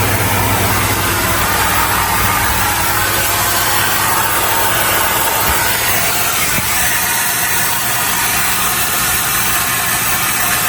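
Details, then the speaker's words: Mercedes HGV with engine running on full air: steady loud hiss of escaping air, traced to a leaking drive axle brake chamber. "Sounds like a drive axle brake chamber to me, that. Let's have a look."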